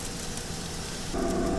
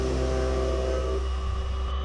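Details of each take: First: Brand-new YCM CNC machine cutting at about 30% spindle load: a steady cutting hiss with chips pattering against the glass guard, chips breaking well with no strings. Normal, clean cutting. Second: New CNC machine with live tooling milling a part held by a small-diameter connection in the jaws: steady drone with buzzing tone fading after a second; workpiece chatter from the thinly held part vibrating.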